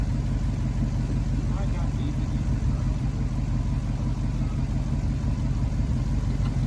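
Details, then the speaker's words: Wrecked Honda S2000 with unknown engine, first start after struggling to crank on a draining battery: low, lumpy idle that hunts and stumbles instead of settling, with smoke; running rough at idle. "Oh, that sounds a lot better. Oh my gosh, it lives with a bad idle grip."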